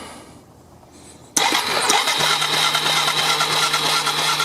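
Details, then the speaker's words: 1999 Yamaha Bear Tracker YFM250, suspected bad CDI box and out-of-spec pickup coil: starter turns engine over with steady whir and chugs, loud popping/spurting, never catches; no spark seen at the plug. "did you hear that i didn't see any spark and listen to that loud popping so what the hell is going on with that all right so it tried it was turning over"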